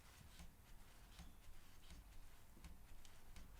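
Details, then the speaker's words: Cane Creek Kitsuma coil rear shock with 400 lb spring on a bike. A soft, dull clunk on each rebound as the shock tops out. Owner suspects air in the damper from a poor bleed, or a design flaw. "but it does the same thing it does this clunk at the top of the travel site that clunk that topping out clunk not sure if you can hear that"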